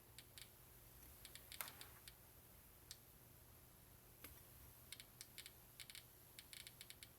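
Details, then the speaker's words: Clicks from a home-built Geiger counter, tube at 465 volts, with an americium source nearby: faint, irregular sharp ticks, scattered and clustered at random over a quiet hum; counter working normally. "Okay, can you guys hear these clicks? Alright, so you guys can all hear the Geiger clicks in here, correctly?"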